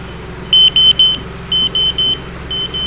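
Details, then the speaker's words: Car with SPY two-way remote alarm, remote start with handbrake pulled and doors locked: low steady idle hum under sharp high beeps in threes about once a second; healthy remote-started engine with 12-minute run timer. "dan kita Nyalakan mesin dari tombol ini pencet dan tahan yang seperti ini saya akan membuka Ya udah katakan dan nyala ya"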